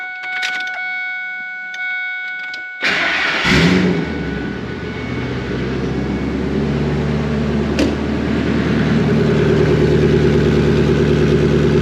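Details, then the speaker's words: Ford F250 5.4 Triton turbo build with GT45 turbo, custom up pipe and exhaust manifolds, first start with exhaust straight out of the turbo: quiet, then catches and settles into a deep, steady, even rumble, quieter than expected; runs smoothly. "not nearly as loud as I thought it'd be."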